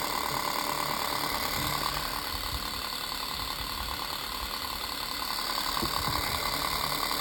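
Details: Unbranded antique 7-inch desk fan running loud; steady whir with fast slightly uneven ticking rattle around 200 a minute, sometimes spins fast, sometimes slow; blades out of balance and shaft has play.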